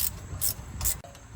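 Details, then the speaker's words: Chevrolet Trailblazer SS hub after replacing a noisy wheel bearing/hub, turned by hand: soft, even swish about twice a second with no grinding, clicking or roughness; new bearing rotates normally. "but listen nice and smooth nice and smooth"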